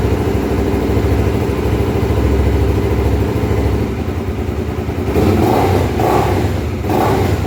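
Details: Honda Twister 250, first start after repair of a top-end noise (cylinder head off, threads cut for two bolts): steady single-cylinder thump, then a few throttle blips rising and falling cleanly without clatter or knock; sounds healthy.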